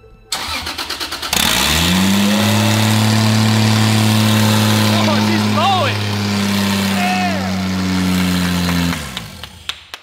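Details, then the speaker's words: Toyota Supra on its first start with its new parts, after a sensor that was not fully plugged in was fixed: brief crank, then a loud, steady, even idle with an open, raspy exhaust edge; normal idle. "so after getting that sorted we went back to the beginning to get our very satisfying first"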